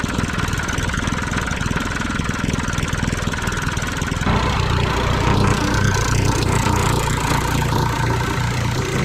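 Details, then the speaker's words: Lawn mower single-cylinder engine rebuilt cheaply with a noisy, loose connecting rod, started on high throttle with start fluid: runs steadily with a rough, uneven knock, which the owner believes is the loose connecting rod. "I think that knocking is that connecting rod. Yeah, you hear that talking? That ain't going to last long. That connection rod too loose."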